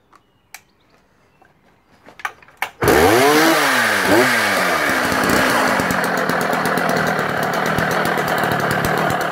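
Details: Sachs Dolmar 133 vintage 85cc German two-stroke chainsaw restarting: a few pulls, catches and holds a loud steady run with rough rumbly undertone; engine now noisy, to be listed for parts only.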